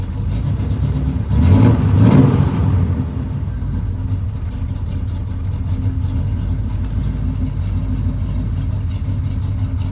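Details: Pontiac Grand Prix G-body with cammed 305 small-block Chevy, shaking at idle and in stop-and-go: a quick rev, then a lumpy, uneven idle with an irregular stumble, the misfire still there after the attempted fix.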